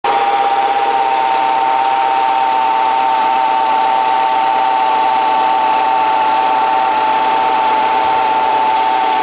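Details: Renault Scenic 1.8 engine cold at idle: a steady high-pitched whine sits evenly over the idle without changing; source not yet identified.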